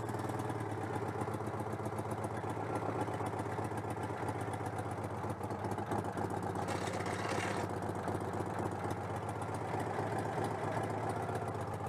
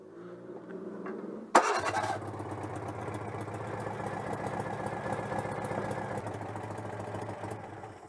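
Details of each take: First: Citroën 2CV AZLP6 after fitting a centrifugal clutch, with leftover cleaner still in it: the air-cooled twin chugs at a steady idle with a slightly lumpy, uneven beat, which the owner attributes to the breather not being connected. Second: Citroën 2CV AZLP6 flat-twin after installing a centrifugal clutch: short, rattly old-style electric starter whirr (the car also has a pull starter), then the engine catches and runs evenly. Normal starter cranking.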